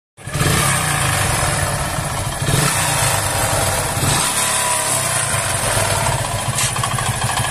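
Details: Hero Splendor single-cylinder engine idling with a busy, rattly tapping running through it; engine knocking, cause not stated.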